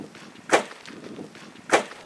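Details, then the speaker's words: 2016 Toyota Land Cruiser off-road on its first trail: two sharp, hard thuds over quiet trail noise as the suspension bottoms out and the underbody strikes a fairly small rock. "That's the sound of the Land Cruiser's suspension smashing into a fairly small rock. It's also the sound of disappointment. That's all it takes to bottom this thing out."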